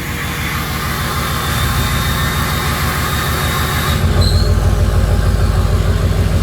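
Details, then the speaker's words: 6.0 Powerstroke diesel, still a little cold, VGT turbo controlled by added switch: rumble with high turbo whistle that drops out about four seconds in when switch locks vanes, leaving deeper drone; changed turbo sound. "Now I'm going to flip the switch off to be able to hear the difference in the sound."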